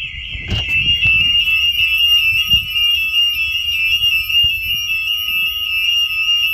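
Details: Home alarm tested at night by opening the back door, fitted with a hidden magnet sensor. The linked smoke alarms also act as the siren. Loud, piercing high-pitched steady tone; alarm sounding normally.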